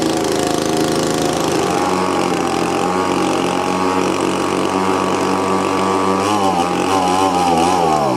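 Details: Old, battered Echo two-stroke blower on its first start after a fresh carburetor install, choke on: a fast, buzzy idle that wavers and surges instead of settling, running rough. The owner suspects the plunger adjustment, since turning the low/high mix screws does nothing.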